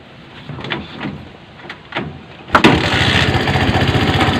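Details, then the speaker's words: Honda CB 125 small motorcycle engine after overhaul starts and idles with a busy, uneven clatter inside the crankcase; centrifugal clutch part crushed because its nut was not tightened — internal engine knocking from damaged centrifugal clutch part. "At may mariring tayong kakaibang tunog at naghahabulan sa loob ng makina."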